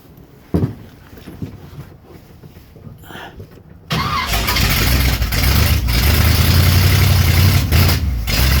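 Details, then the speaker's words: 1967 Corvette V8 with ram's horn exhaust manifolds, first run after rebuild, gas poured down the carburetor: fumbling, then catches and runs rough and uneven; new lifters still pumping up, owner suspects old gas. "A little better. Put a little bit more gas down that carburetor, see what we can do. May have been that my gas was bad."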